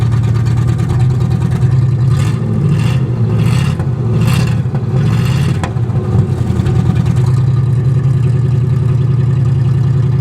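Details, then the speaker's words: 1963 Oldsmobile 88, cold start with gas poured into carburetor and choke acting up: loud, deep open exhaust roar at idle swelling with four quick throttle blips; muffler completely blown out. "muffler's blown out completely on this thing so uh definitely going to need to do something with the exhaust it sounds badass though"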